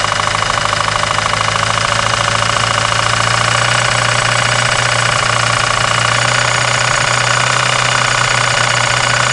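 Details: 1993 Eagle Talon turbo, stock 7-bolt 4G63, idling with a hard, deep, regular metallic knock; confirmed spun connecting rod bearing, with play between rod and crankshaft found after pulling the oil pan.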